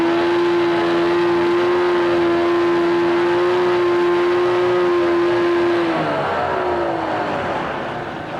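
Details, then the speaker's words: 1988 Mercury 25hp two-stroke tiller outboard, 20in shaft, electric start, freshwater, new lower unit lube: steady even idle hum, no misses or knocks, smooth pitch shift near end; normal idle. "This is a good running freshwater engine."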